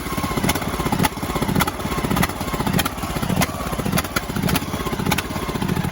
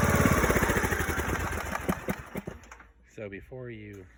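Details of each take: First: Craftsman DLS 3500 riding mower, 20 hp single-cylinder engine, new fuel line fitted: speed rises and falls unevenly at idle instead of holding steady; owner suspects the carburetor needs adjustment, engine not blown; idle surging. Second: Craftsman DLS 3500 limited-edition riding mower single engine after $20 carburetor kit (new fuel filter, gas line, plug, oil filter, gaskets), previously surging at start; now runs with even steady beat, about four pulses a second, no misses; normal running.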